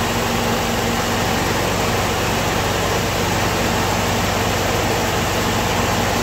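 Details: Ford M151A2 MUTT jeep, 141.5 cu in engine, stored 20 years, left running to break in again after earlier knocking and rattle: steady, even idle with smooth low hum, no knocks or rattles.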